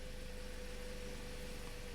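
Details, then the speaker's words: 2009 Toyota Corolla 1.8L at idle after replacing the cylinder 2 ignition coil for code P0302. Steady, unbroken beat with no skips. Misfire counts are back to zero, so the fix is confirmed. Normal idle. "so this engine sounds really good it runs good so this is fixed"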